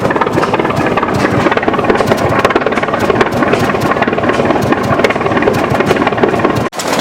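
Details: 1920s General Electric generator set serviced after over 10 years unused, exhaust piped outside, 65°F ambient with the intake frosting: loud, steady beat of firing pulses with no knocks or misses; normal running.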